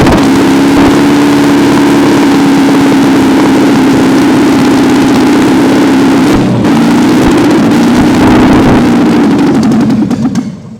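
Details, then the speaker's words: Long-dormant 1971 MGB four-cylinder, cleaned carbs at rough jet and idle settings: steady hum at fast idle, hunting slightly, no knocks; running slightly lean with almost 70 psi oil pressure, good runner. "Obviously, we're running a little on the lean side, but it's running and carrying almost 70 pounds of oil pressure."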